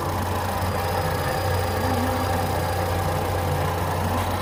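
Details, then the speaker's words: 2014 Ford Fusion with newly installed aftermarket alternator, after BMS reset: with the connector unplugged the engine idles smooth and stable with a steady low hum, no surging, and the meter reads stable; it needs an alternator. "you can even hear the engine stabilized. It's running smooth right now, really smooth, and it quit surging."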